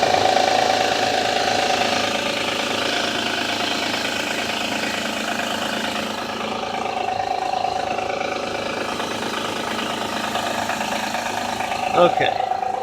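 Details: 2007 Honda Odyssey, dead cold start, oil full and clean: light, fast tapping rattle over a thin engine hum at idle; owner suspects timing belt noise, source unconfirmed.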